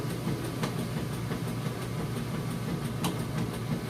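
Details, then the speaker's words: Maytag Centennial heavy-duty super capacity plus washer in like-new condition, running a warm super load with extra rinse off: a steady, low, even back-and-forth churning with no knocking or scraping, level and balanced. Normal agitation. "back-and-forth bringing those clothes down and back up getting them real clean for you see it sounds good it's nice and level and balanced"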